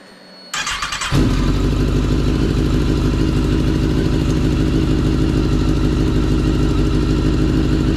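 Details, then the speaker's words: Kawasaki ZX10R after engine swap following catastrophic engine failure (used replacement engine), still cold, mic outside: catches immediately into a crisp, even fast idle with strong low drone, no knock; sounds healthy. "That joint sounds incredible. Oh my gosh. It's about time for a new motor. It sounds completely different. It didn't sound like that before."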